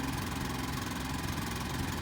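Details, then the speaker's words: Rialta Renegade 3000-watt inverter generator, first start right after installation: an even, steady engine drone at constant speed with no misses, knocks or surging, and remarkably quiet. Normal running. "Whoa. That's quiet. That's quiet. That's nice, partner. You like that? Yeah, it sounds good."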